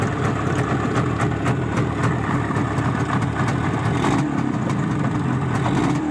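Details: Izh Jupiter-5 two-stroke twin with balanced crankshaft, heard now after earlier metallic ringing blamed on piston geometry; even idle with crisp regular pop and no ringing from the cylinders; normal idle.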